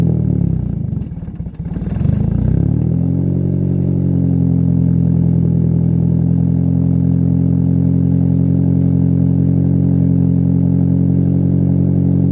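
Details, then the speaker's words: Car with the old exhaust, welded where a clamp once joined it, so it is fixed in one position, before a new ISR exhaust is fitted: it starts and settles into a throaty idle with a loose tinny clatter as the pipe hits the subframe and rear tow hook. "since then it's been fixed in that one position so I keeps hitting the subframe and hitting the tow hook in the rear"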